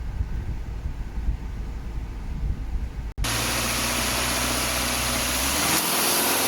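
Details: Subaru at 68,000 km, after repair of a noisy AC compressor and uneven left/right cooling caused by a leaking evaporator losing compressor oil: engine idles evenly with the blower hissing; compressor runs smooth and quiet, no clatter or whine.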